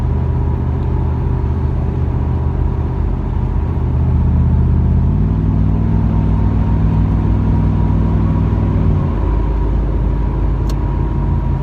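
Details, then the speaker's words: 1997 Camaro V8, about 60 miles after a new Opti-Spark and fixed exhaust leak/check valve: deep, even exhaust rumble accelerating onto the interstate, note changing gently on upshifts; runs smooth and purrs. "without that exhaust leaked it just purrs I mean honestly the only way you can tell it upshifts is you just hear the exhaust to change a little bit"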